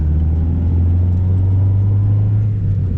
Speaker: Yeah, dude, it sounds way good.